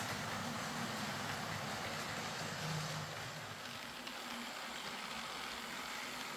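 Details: Old Lima Class 40 model locomotive in BR green, front-bogie fault fixed by fitting a complete replacement motorised chassis: quiet, even motor whir with soft rolling hum, no stutter or grinding; running smoothly.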